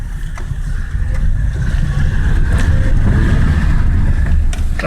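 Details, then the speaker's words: Daewoo Lanos while driving, after fixing the rattling brake caliper with a cut seal and a refitted screw. Only tyre and road rumble, with no clatter over bumps. Caliper quiet and sound. "никуда не делось все отлично суппорта тишина и покой"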